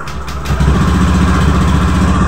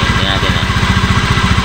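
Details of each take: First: Honda Beat FI v2 scooter after replacing the loose crankcase bearing: starts and settles into an even, steady idle with the CVT-side rattle gone. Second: Honda Beat FI v2 scooter at idle: fast, even rattle about twelve per second from the CVT side; noisy drive traced to a loose crankcase bearing.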